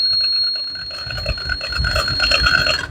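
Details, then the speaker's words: Driver drowsiness alert project: IR sensor glasses detect eyes closed over 5 seconds, microcontroller sounds a steady shrill buzzer for nearly three seconds, then the motor switches off; alert triggering properly. "குறிப்பிட்ட அளவு buzzer அடிச்சுட்டு motor வந்து of ஆகிட்டு."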